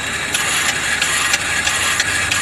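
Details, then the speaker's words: Truck VG turbo actuator driven by a homemade controller in seek mode, sweeping vanes 0–100%: steady whir with light ticks about three times a second; good working actuator, truck runs great. "that was kind of like a washing machine okay alright so that's great this is a one that works for pretty good"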